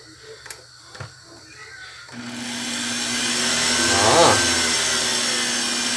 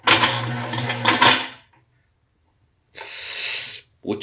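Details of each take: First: Blender that had made a loud metallic noise, after repair and reassembly: a couple of switch clicks, then the motor spins up to a smooth, steady whir with no metallic rattle; normal running. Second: Blender base making a horrible noise, worse than before and barely running: short bursts of harsh metallic clattering and grinding; owner first suspected the drive coupling, but the cooling fan had worked loose.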